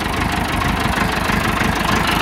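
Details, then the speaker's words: Massey Ferguson 275 tractor with a Perkins diesel, newly fitted starter, idling at minimum throttle with a lumpy, uneven beat and a hard knock; it gives white smoke, one injection line leaks, and the owner suspects an injector starving one cylinder of fuel. "sounds like it's just starving for fuel on one in one hole try it again it's missing right there"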